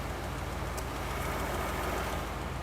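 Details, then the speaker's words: Classic car with a 2100 carburetor, cold idle: a flat, steady rumble with even firing and no misses or valve-train noise. It smells a little rich, so the idle jets may be backed off once warm. "that's about as flat and nice and idle as you're going to want out of a 2100 carburetor it's a little Rich smelling so I could probably back the idle Jets off just a little bit"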